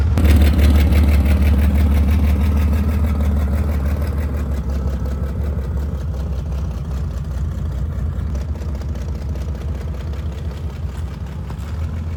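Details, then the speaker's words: 1963 Chevy Corvair running for the first time in years, creeping in first/second gear on the clutch with no throttle or brakes. A deep, even rumble of about three pulses a second, settling; normal idle. "No throttle. It's weird driving is with no throttle or brake."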